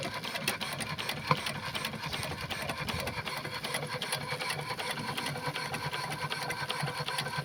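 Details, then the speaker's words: Burrell steam engine after replacing a worn connecting-rod big-end bush that caused a knock: even, rhythmic clatter about 2.5 beats per second with water pump hiss behind, knock gone, running smoothly. "Running the engine now, the knocking sound appears to be gone."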